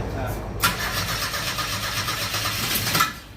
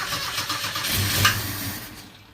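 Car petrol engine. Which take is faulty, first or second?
first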